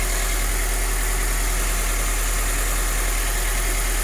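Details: 2013 Toyota 86 idling after the drive belt was replaced with a Dayco 6PK2070. A steady, even idle with a smooth low hum and no belt squeal, chirp or ticking. It sounds healthy.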